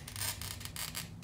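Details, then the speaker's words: A Toyo pistol-grip oil-fed glass cutter scoring a green stained-glass piece under downward pressure makes a crisp, gritty high hiss in short even strokes as the wheel rolls; this is the sound of correct, clean scoring. "All right, so glass cutting is, a lot of it is you hear when you're cutting it correctly."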